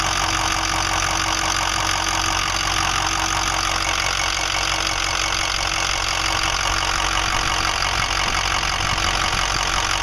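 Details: 2005 Ford 6.0L Powerstroke diesel, 80–100 miles after reman injectors, new fuel pump, filters and oil: uneven idle with a steady knock about three per second, getting worse; owner suspects harness, FICM or injectors, not confirmed.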